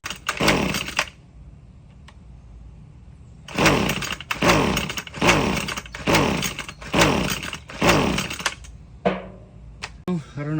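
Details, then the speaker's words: Husqvarna gas string trimmer (weed eater) pull-started after priming the carburetor bulb 10 times and trying half choke 5 times; about six brief whirring pull-start cranks die immediately with no firing; owner thinks it sounds weak; cranks but won't start. "All right, so no luck."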